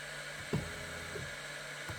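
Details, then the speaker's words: Longer Ray 5 diode laser (GRBL, web UI) jogging on the high-speed setting: steady, even stepper whine over a faint hum, with a soft clunk at each direction change, a different sound from low speed; normal. "can hear the stepper motors are making a different sound."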